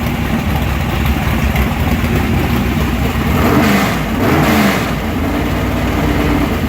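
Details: Engine with mechanical fuel injection, cold start after priming fuel two or three times: loud, lumpy, rough but steady cold idle with a brief rev midway; running healthy.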